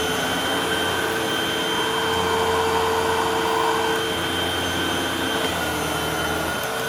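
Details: Hoover WindTunnel High Performance Pet upright vacuum after belt replacement; steady even motor roar with constant high whine, no slapping or squealing from the brush roll; running normally.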